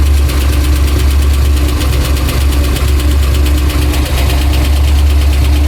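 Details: Pontiac Trans Am V8 idling, oil pressure erratic: loud, deep idle with a dull, uneven knock about three per second from all around the engine, not just the top; owner first thought exhaust, fears crank or major part. Cause unconfirmed.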